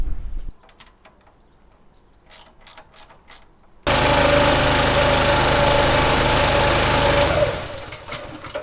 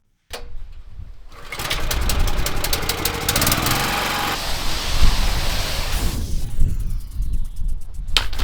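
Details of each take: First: Petrol pressure washer engine after fixing suspected fuel contamination from disintegrating fibreglass lagging: after a quiet start it catches and runs hard at a steady even pace, clean and strong, then winds down; normal running, fault sorted. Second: Petrol pressure washer engine during a driveway rinse: catches, runs rough and unsteady, sags and is pulled over again; keeps stalling, seemingly worse at high revs and not when turned down.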